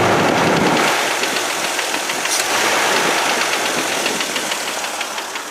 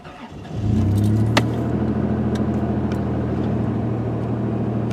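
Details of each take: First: Petrol engine idling with a recently developed loud lifter tick, before STP oil treatment: a sharp, steady tick about three and a half times a second. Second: Engine with lifter tick, cold start the morning after adding STP oil treatment. It catches after a brief crank and settles to a smooth, even fast idle with no top-end tapping; a faint tick returns later.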